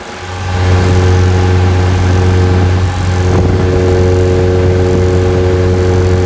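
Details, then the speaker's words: Chevrolet S10 with MWM diesel engine before turbo replacement: diesel revs up with a steady high whistle rising with revs and a vibration; worn turbo hissing and singing, later replaced. "os barulhinhos a turbina tá tá chiando tá cantando né"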